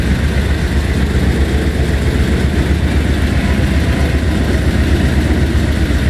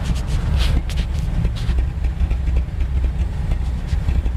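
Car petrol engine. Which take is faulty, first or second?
first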